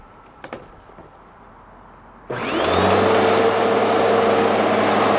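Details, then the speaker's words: Bissell PowerForce Turbo vacuum after hair was cleared from the brush bar and the burnt drive belt was replaced: the motor spins up to a steady, even hum with no rattles or flapping. Normal running. "all ready to go just needs a good cleaning and vacuums a-okay"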